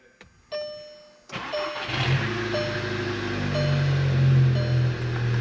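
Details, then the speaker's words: MK6 Volkswagen GTI first start after turbo replacement, with a snapped plastic coolant fitting replaced and the turbo primed. Chimes, then the engine catches and settles into a smooth, steady idle. The internal wastegate rattle is gone. "No rattle. Let's go. Up she goes."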